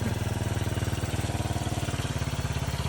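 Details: 1981 Yamaha SR185 single-cylinder after replacing faulty TCI with Ignitech, aftermarket carb, choke off, just started: fast even putter at steady slightly high idle, no misses or pops; previously bogged and backfired from weak spark.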